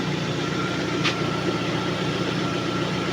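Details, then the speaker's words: Lada Priora engine after piston replacement, about 55 degrees coolant: quiet, even idle with soft steady hum, no diesel-like clatter or piston slap knocking heard before; normal idle. "Ну, короче, тихо, тихо работает, тихо. Нет этого противного дизеления, этой долбёжки, перекладки поршневой."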